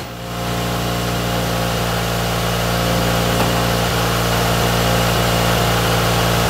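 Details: Toyota AE86 GTS running again after a cleaned, refurbished gas tank, new fuel pump and fuel filter were installed; first warm-up idle with slight smoke: steady, even idle, smooth low hum, no misses or knocks. Normal warm-up idle.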